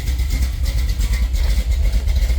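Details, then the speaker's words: Nova V8, warm start after thermostat housing resealed with RTV: deep, steady burble holding an even idle at 850 RPM, its set point, with no longer any surging up and down; sounds good, a little rich, IAC possibly off. "It's not doing any weird cycling shit. Pardon my French. It's just sitting there and idling."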